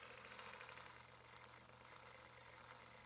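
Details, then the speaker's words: HG P407 Tamiya Bruiser clone RC Toyota pickup with Hobbywing 1080 ESC, wheels up on jack stands, 2WD, 2 low gear: very soft even running, only faint gear noise, no PWM whine; motor quiet. "All right, so all you're hearing right now is the gears. That's it."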